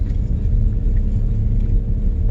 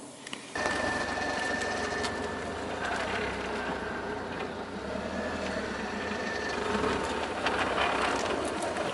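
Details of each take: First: 2001 Audi TT Haldex AWD at 104,000 miles, after a Haldex oil and filter change: low even rumble turning tightly at low speed, quiet with no grinding or binding. Before the change it ground when turning sharply. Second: 2001 Audi TT creeping through a tight, slow turn: rough, crispy crackling grinding and rumbling with felt dragging from the Haldex all-wheel-drive coupling, before a Haldex oil and filter change.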